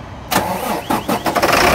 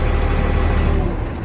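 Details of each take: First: 2004 Sterling semi truck, Mercedes MB900 diesel, no-start: 12 volts jumped to the starter lug, brief cranking bursts then engine catches to a loud steady idle, showing the starter solenoid is faulty. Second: 2004 Sterling truck with a Mercedes MB 900 diesel cranking in neutral with the clutch switch pinned, after a no-crank was fixed by running a ground wire to a good ground; deep, strong, even cranking.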